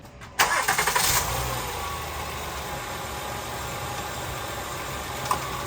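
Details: 2013 Honda Pilot 3.5 V6 after a timing belt tensioner replacement to fix a cold-start rattle: brief crank, catches at once and settles into a quiet, smooth idle with no rattle.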